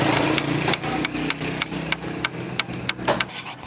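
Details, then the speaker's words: Honda Supra motorcycle at idle: uneven diesel-like tek-tek "glek glek" clatter about three ticks a second, also heard when the clutch is operated; worn clutch housing with excess play. "nah setiap kali motor ini langsam akan terdengar suara seperti diesel Glek Glek Glek Glek GK gkkk"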